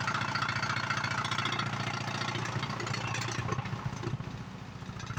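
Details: DD Audio 9918 SC subwoofer after voice coil replacement, tested at high power: loud, steady low bass thumping with no rattle or distortion; driver sounds healthy.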